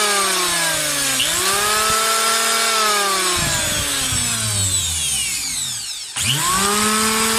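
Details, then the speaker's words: Electric planer, belt still fitted, owner already replaced carbon brushes but sparking persisted: smooth rising whine and even coast-down, no rough note, yet sparking reported at commutator/carbon brush area. "kung napapansin niyo ay sobrang smooth pa ng tunog ng electric planer na to ngunit nag-spark lang talaga yung sa commutator part o Carbon brush Part niya"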